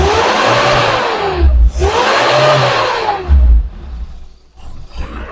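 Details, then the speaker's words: Espass 1.6 L car on CNG with Poligas low-pressure regulator split into low and mid-high rpm lines, original mixer: after a long initial crank it runs, revving cleanly in two smooth sweeps to mid-high rpm and back to idle with no stumble. "Oke, meskipun bagian awalnya agak panjang, tapi ini bisa dijalankan, teman-teman. Mari kita uji putaran mesin menengah hingga tinggi."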